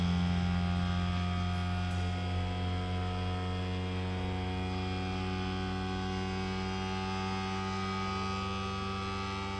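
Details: Creality Ender 3 V3 3D printer running its self-calibration: a loud, steady, even drone with no knocks or grinding. This is a normal calibration noise, nothing wrong.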